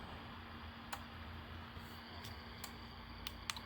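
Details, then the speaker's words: Xiegu G90 transceiver's built-in automatic antenna tuner tuning at 3.9: sharp irregular relay clicks over a quiet hum; normal tuner operation. "you can hear it clicking in there and it sounds like any other antenna Tina you're pushing it is like so"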